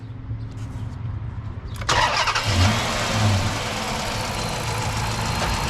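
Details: 2006 Dodge Magnum 5.7-liter V8, already warm from a trip, started right after installing a K&N cold air intake: short crank, catches at once and settles to a steady, even idle, no misses, knocks or check engine light.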